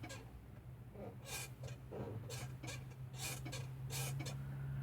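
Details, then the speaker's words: 1989 Nissan D21 pickup, Z24i engine, non-working horn circuit being traced: sharp faint clicks at each horn-switch press over a low steady hum; horn relay pulling in properly, switch contacts sending 12 volts to the relay. "so as I press a switch horn we do see or hear that the really is clicking there"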